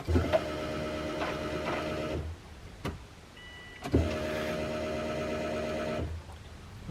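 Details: Subaru Impreza fuel pump priming normally after swapping the tired factory pump for an uprated unit: with the ignition on and the engine off, two steady electric buzzes of about two seconds each.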